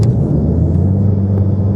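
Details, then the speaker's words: 2015 Ford Mustang EcoBoost 2.3 turbo four-cylinder with new AEM intake, custom exhaust and Diablo tune, accelerating: a deep, even drone with a high turbo whoosh, then the blow-off valve venting into the air filter on lift-off. Healthy. "Here you can hear that high-pitched whoosh. And then when you let off the gas, you hear the blow-off valve open, because the blow-off valve vents right into the air filter, so you hear it come right out of the air filter when the blow-off valve vents."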